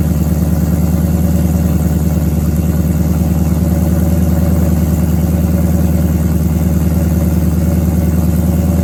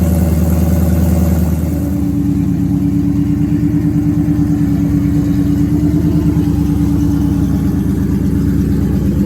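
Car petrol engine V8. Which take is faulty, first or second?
second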